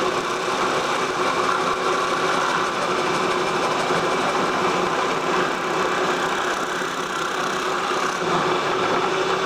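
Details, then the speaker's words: Boring bar cutting at high speed while machining for sleeve shims on a 1956 Cummins engine: steady harsh, buzzy chatter through the whole cut because the cutting bit was left untightened in the bar. "Maybe I didn't tighten the bit. Yep, I didn't tighten the bit."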